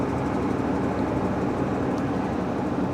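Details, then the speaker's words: Salvage-auction vehicle started on booster pack: rough, busy running just after cold start with a dull rattle; suspected lower-end knock, possibly it just needed oil pressure, not confirmed. "uh that didn't sound good but that's okay that's okay maybe it's not knocking anymore maybe it just needed to fire up and build up some oil pressure"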